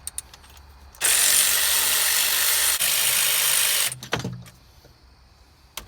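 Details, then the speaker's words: Old serpentine belt pulley from a 2008 Chevy Avalanche 5.3 at 200k miles, spun by hand off the engine: a steady dry hiss, then coast-down, noticeably louder than the new one though it wasn't noisy in service; slight bearing noise. "listen to this pulley there was nothing wrong with this thing it wasn't making any noise but it's not nearly as quiet as the new one that I bought"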